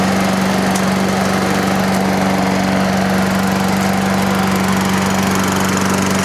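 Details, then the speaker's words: Toro Recycler lawnmower after the loose governor screw was tightened with a lock washer and the idle speed adjusted. A steady, even drone at constant speed with no surging or hunting; it runs smoothly at a good speed. "it seems to be working good what I did was you know I just did the government the best I could then I took the I can see in there I turned the the idle lump you know that's a good speed"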